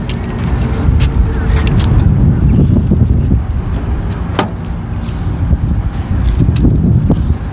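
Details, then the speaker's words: A 2000 Honda Accord 2.3L 4-cylinder starts up after power steering and alternator belt replacement with a loud, deep, raw idle rumble. Its catalytic converter was stolen while it sat in a parking lot. "Sounded like you had a new exhaust system. Yeah. Since the car's been in the parking lot, somebody stole his catalytic converter."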